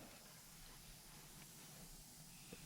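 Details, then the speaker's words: Recently rebuilt Turbo 400 for a 1968 AMC Javelin with a junkyard Chevy 454, clutch discs bent on assembly, air check: soft steady air hiss, some air escaping, faint clunks near the end; clutch pack works. "okay I hear that one and I hear that one so they all work"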